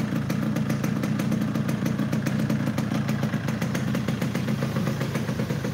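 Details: Yamaha RX King two-stroke, engine not test-ridden to avoid overheating; rough, clattery idle with uneven popping and a dull, flat note, clearly down on power ("tenaganya ngempet"); bike also hard to shift gears; cause unclear.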